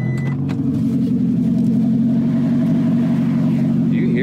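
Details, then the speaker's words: 2009 Toyota Prius, catalytic converter stolen overnight while street parked: loud, raspy, unmuffled drone at steady idle pulsing about three times a second, an open exhaust where the converter was cut out. "this is the most bizarre thing ever what why did your exhaust fall off suddenly"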